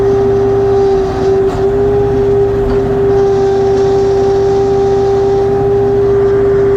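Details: LS XR3135C tractor idling with a loud steady mid-pitched hydraulic whine; dealer has tried twice to fix it and the problem persists.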